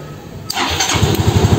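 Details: Yamaha Xeon RC 125 injection with a non-working electric starter (starter relay replaced several times, burnt 4-pin relay found), after about 10 minutes of battery charging: brief crank, then it fires and settles into a lumpy idle; normal start.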